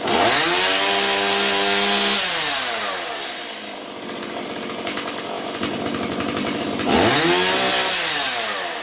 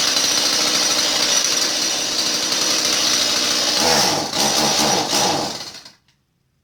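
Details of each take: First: Stihl 017 chainsaw that bogged down, after retrofitting adjustable non-EPA carburetor in place of non-adjustable EPA carb and adjusting mixture: crisp high two-stroke scream, clean idle, revs back without hesitation or bogging; normal running. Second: Stihl 017 chainsaw: it starts and idles well, but on throttle it bogs, sputters and dies. The cause is a plugged, non-adjustable EPA carburetor, to be replaced with an adjustable non-EPA carb.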